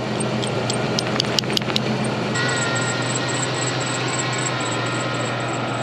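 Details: 1995 Range Rover Classic 4.6 V8 after an oil pump gear replacement for zero oil pressure: quiet, even idle with a thin, steady high-pitched accessory belt squeal over it, while the engine itself stays quiet.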